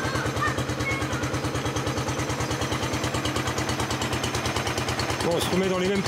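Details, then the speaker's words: Honda 1211 ride-on mower after repairing the transmission cooling fan and fitting inner tubes: even, steady engine beat with no rubbing or scraping from the transmission; old noise gone, owner hears a faint new unfamiliar noise. "Il n'y a plus le sale bruit là. J'entends un tout petit bruit moi que je connaissais pas avant."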